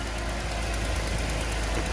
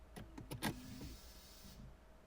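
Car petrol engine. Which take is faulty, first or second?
first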